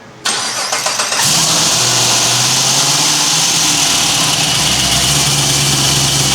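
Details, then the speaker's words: LSA-supercharged V8 swapped into a Chevy Caprice PPV: quick crank, then a loud lumpy but even idle with plenty of intake hiss; starts clean and runs well. "Man, that shit sounds good, Willis."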